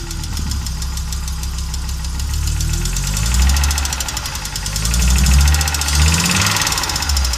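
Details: Audi Coupe after an NG-to-AAR engine swap: hard starting, many misfires, and it stalls while driving. Uneven, lumpy idle with irregular stumbling beats and a surging rumble. Engine clearly misfiring; cause unknown.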